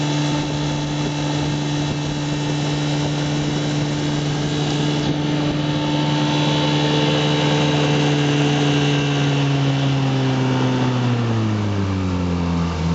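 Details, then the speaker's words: 1958 Johnson CD-15 5.5 hp outboard on a 12 ft boat, about 11 mph at cruise; a smooth, steady buzzing drone that drops evenly as the throttle comes back. Normal running. "but speed isn't really what the Johnson CD series is about it's really just about getting to your favorite fishing place getting there quietly smoothly efficiently and reliably"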